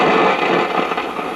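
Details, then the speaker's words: 1956 GE Model 940 five-tube clock radio: constant frying crackle with random pops like distant thunder, no steady tone; degraded silver mica capacitors inside the IF cans. "sound which is very characteristic of SMD bad capacitors and the iaf transformers"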